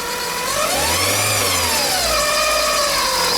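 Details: Fiat Palio, engine revved briefly: whirring whine rising and falling with revs from a failing water pump, heard while diagnosing timing-belt-area noise before fitting a new Dayco belt.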